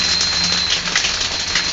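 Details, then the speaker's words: Electric hot-water shower head with a 220 V element, possibly wired for 110: steady fizzing crackle as water gently boils on the element at reduced flow, giving maximum heat (lukewarm). More flow stops the crackling. "h until you hear the kind of crackling inside which is probably a little bit of bubbling going on on the element as it goes over the place that's probably the maximal heat which is about lukewarm"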